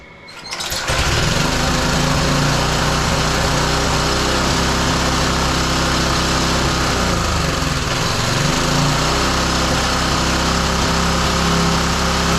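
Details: Roadside-salvaged small lawn mower engine for the Tommy Gun mini bike, on a replacement carburetor with choke off; it catches quickly and holds a steady, busy buzz with a slight sag midway, before a spark plug change.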